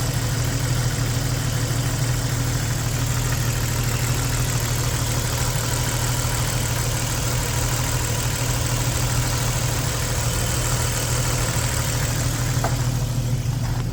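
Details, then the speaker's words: 1994 Jeep YJ after PCM capacitor work, new plugs, wires, cap, rotor, crank sensor, battery cables: steady even low idle, no obvious miss, then shuts off without warning; owner suspects PCM, unconfirmed. "um you heard it running run solid seem like it's missing uh new battery cables new ah see again just just shuts off"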